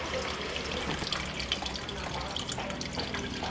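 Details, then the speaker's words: Sharp air cooler (radial fan) under repair, water running through the filter-like cooling pad back into the tank; even trickle and splash, no pump strain: normal water circulation through cooling pad. "And now it's going through this filter-like material, and I actually can see that it runs back into the tank."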